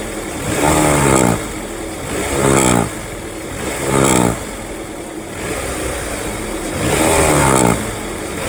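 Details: 2001–2005 Honda Civic LX engine blipped about every 1.5 seconds: rattly whirr climbing with each rev, fading at idle, strange noise when accelerating; worn-out timing belt tensioner.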